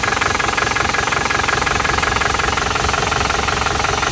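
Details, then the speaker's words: Isuzu Panther LS diesel as it arrived at the shop, given throttle blips. It has a lumpy, uneven beat of about 170 thumps a minute and one cylinder is not pulling. The mechanic suspects a severe compression leak; the engine was later rebored with cast liners. "jadi beginilah kondisi mesin penter ini ketika baru saja datang gasal gasan gas gas kelihatannya ada yang enggak ngangkat satu"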